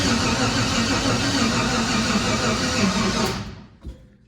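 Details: Junkyard LS engine with large turbo and 5-month-old methanol, first fire: starter drags engine slowly, about three beats a second, never catching; battery weaker than expected.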